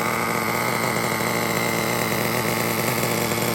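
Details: Old Traxxas T-Maxx 3.3 (4909) nitro engine, forward-only pull-start conversion, cold start after replacing front and rear engine bearings: high-pitched, even buzz with no crunch or grinding; running smoothly.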